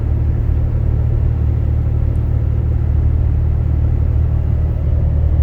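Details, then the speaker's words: Inside cab of 2012 Dodge Ram 6.7L Cummins, fully deleted straight pipe, 4-inch turboback, EGR delete, H&S Mini Max stock tune, windows up, hard acceleration: deep even rumble building, no booming drone, same as stock. "And you can accelerate hard, fast, whatever. The drone just isn't there."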